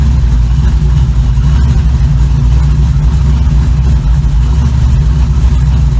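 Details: 1936 Chevy coupe on a road test drive after a gas pedal install: steady, deep engine drone with an even beat as the car drives along, no knocks or misses; normal running, though the brakes are too soft.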